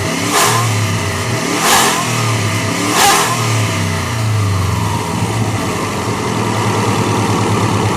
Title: Turbo whine